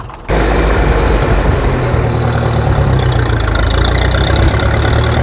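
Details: Restored Ferguson TE20 'Grey Fergie' tractor on the road, recorded from the seat near the loud exhaust: the engine starts up, then a deep, even, throbbing rumble holds steady as it pulls along, with no knocks or misses; normal running under load.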